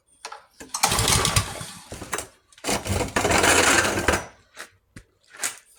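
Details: Yard-sale pressure washer with seals fitted, choke on, air filter off, no water hooked up: backfire, then ragged bursts that rev and sputter out; runs only on starting fluid.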